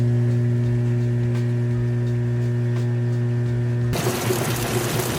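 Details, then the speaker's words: Kenmore stacked laundry center washer moving from wash to rinse, lid open with the lid lock switch taped: a steady low hum then gushing water as the drain pump runs fast before the basket spins; normal drain pump operation. "Before it spins the basket, it's getting all the water drained out as much as it can. You can hear that pump running nice and fast."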